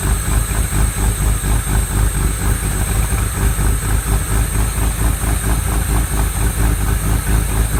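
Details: Replica exotic kit car on a 1986 Fiero GT chassis, after oil sludge cleanout: idle pulses unevenly about two beats a second with occasional stumbles; owner suspects a misfire and plans new spark plug wires, maybe plugs.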